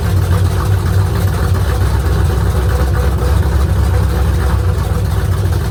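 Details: Rebuilt V8 on straight open headers at first start, idle set low; lumpy idle with fast light rattle over the exhaust rumble, better at higher rpm; lifter tick, lash to be rechecked, lifters maybe not pumped up yet.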